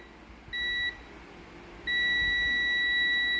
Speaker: power off လိုက်မယ်ကွာသွားပြီ power on လိုက်မယ်ကတ်သွားပြီပေါ့နော်ဟုတ်ပြီဒါဆိုလို့ရှိရင်သူကဒီဝလေးကဒါကောင်းကောင်းအလုပ်လုပ်တယ်ပေါ့နော်